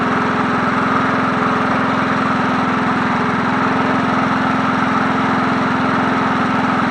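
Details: 1981 John Deere NO20K push mower, free find with original Champion plug, tilted up and started: smooth, even single-cylinder idle with no stumbles or knocks; runs like it should, no carburetor work needed.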